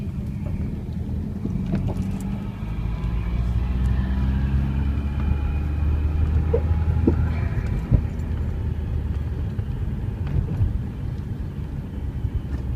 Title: Weird noise power steering